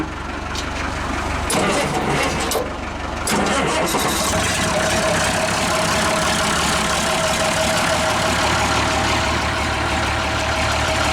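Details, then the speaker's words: Old engine, started in neutral: a few cranking bursts then fires and settles into a steady, even idle with no misses; runs good. "runs good has your it's power life"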